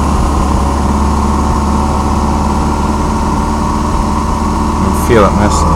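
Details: 1987 Mitsubishi Starion idling with an uneven, loping pulse that never smooths out; rough idle, cause not yet pinned down.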